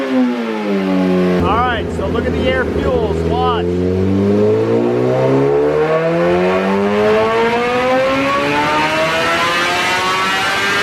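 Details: 2008 Suzuki GSX-R1000 on dyno after new fuel pump assembly, warmed up, ECU possibly still on other shop's flash: after a couple of blips, revs climb smoothly all the way with no stumble. Normal full-throttle pull; issue resolved.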